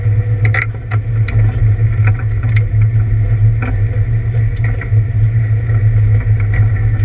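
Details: ABR Camaro on misfire laps: loud steady engine drone under load broken by irregular sharp pops and stumbles, an engine misfire of unknown cause.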